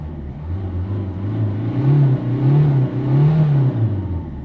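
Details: 2004 Citroën C3 1.4 HDI diesel after the fuel rail pressure sensor fix, out of limp mode (it previously would not rev above 2500 rpm), engine light still on: deep steady drone rises and falls smoothly with each throttle blip, no stumble; revs freely, healthy.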